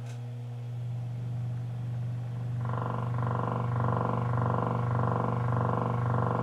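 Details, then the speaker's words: Miller & Kreisel V-2B subwoofer amplifier at power-up: constant 60 Hz mains hum, then a coarse buzzing pulse about four times a second once signal goes in; distortion caused by defective main filter capacitors. "when i turn the power on listen to this it's definitely got a hum to it a 60 hertz hum"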